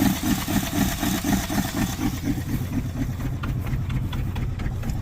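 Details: 1979 Dodge truck that sat over 10 years with an engine problem, just got idling with the alternator charging. Idle lopes with an uneven gallop, about two stumbles a second, audible in the exhaust; a dead cylinder misfiring.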